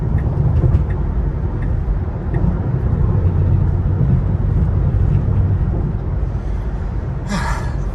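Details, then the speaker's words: Steady road rumble with scattered light ticks and rattles as a 2021 Tesla Model 3 Long Range Dual Motor hits small bumps at highway speed, plus a squeak up front; loose interior trim rattling, source not pinned down. "And then listen to all the rattles when I hit the little bumps."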